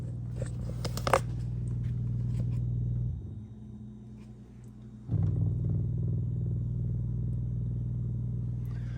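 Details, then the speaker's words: Dishwasher not draining, drain cycle run: low steady motor hum with no water moving, easing briefly and returning; power and control board fine, the drain pump runs but has failed and is replaced. "so it's it's trying to pump but there's nothing coming out so we know we have power"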